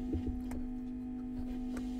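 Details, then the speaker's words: Marshall JTM 30 tube combo amp after replacing a failed second-stage valve: a steady low hum with a buzzy edge and a few faint ticks. Noisy amp; the reverb is suspected, not confirmed. "can you can hear it's up and running there it's a bit noisy but that's probably the Reverb that's"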